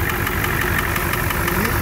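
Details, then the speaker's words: Ford 7.3 IDI diesel at idle, hood open, mic near the engine: sharp, regular knock every few firing strokes, suspected from cylinder 5; knock quiets significantly when the number 5 injector is cracked. Cause not confirmed, possibly serious. "So here's a video of my 7.3 IDI, hood open, with that knock-in sound. As you could hear, the knocking sound inside the cab. I'm pretty sure it's coming from the number 5 cylinder right here."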